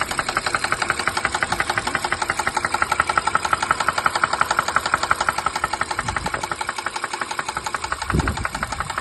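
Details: 2016 Honda Pilot engine at idle with a sharp, even knock about three times a second from deep in the block: a rod bearing. It was driven on until it worsened and the bearing shell was destroyed.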